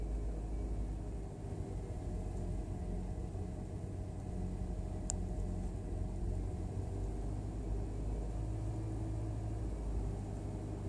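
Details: Hyundai Veloster Turbo cold start at high idle: deep, uneven rumble with occasional stumbles from one misfiring cylinder, caused by a faulty coil pack, misfires much less frequent once warm.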